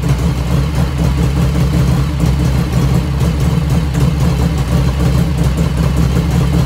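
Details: 1985 FXR started cold at about 49°F after a float setting: a steady, even low idle with no lifter clatter over the exhaust. The engine sounds healthy; lifter ticking appears only as the oil warms.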